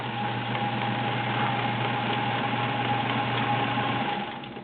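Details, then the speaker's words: Sears Kenmore Model 1802 sewing machine, 1.2 amp, all-metal, size 16 needle, sewing zigzag: even quick whirring with steady needle ticks about four per second, no knocks or binding; runs smooth and healthy. "very impressive machine. I love this machine."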